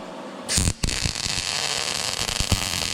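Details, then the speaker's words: YESWELDER MIG-205DS MIG welding 1/8" plate with .030 wire and argon/CO2 at 78 amps, inductance +5: after the strike the arc settles into a steady, even crackling hiss without harsh pops. Smooth, clean arc with a wider bead. "Wow. All right, so I wanted to stop that halfway because I like this a lot. It sounds very clean."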